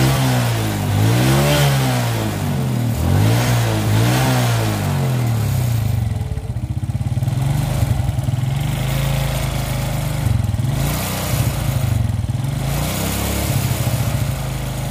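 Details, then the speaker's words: Suzuki Smash single-cylinder motorcycle, carburetor complaint with fast-blackening, failing spark plug and high fuel use: engine stutters and wavers whenever throttle is opened slowly; stuttering misfire, carburetor suspected, not confirmed. "Jadi tiap di tarik gas pelan-pelan itu langsung suaranya merebetnya jadi kelihatan sekali"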